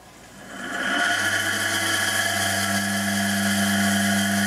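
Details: Pope motor, a three-phase motor wired single-phase with a 200 µF capacitor (two back-to-back DC capacitors) and fed from a variac up to 280 V, drawing 7 A. Hum climbs as voltage rises, then holds a smooth, steady tone with no knocking and no overheating; healthy.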